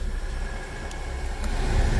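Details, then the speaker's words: Kia Soul+ 2.4 L (2013 or 2014), no airflow from vents before, after a new blower motor: steady deep rush of air with a faint even hum, no rattle or squeal, working on all four speeds and blowing cold; normal blower. "okay we got the blower motor in and as you can hear it she's blowing see work on all four speeds you can listen to it"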